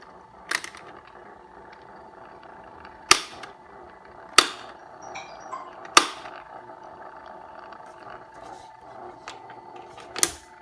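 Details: Four-year-old Asahi AF 6073 electric fan running: steady motor hum with loose, irregular sharp clicks and raps every second or two; something inside the fan is rattling badly.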